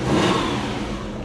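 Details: Subaru Forester SF5 turbo petrol on a Haltech ECU, converted from automatic to 6-speed manual, after reverting to the base fuel map: a quick rev that climbs and drops back smoothly with no stumble, misfire or popping. Still needs a dyno tune.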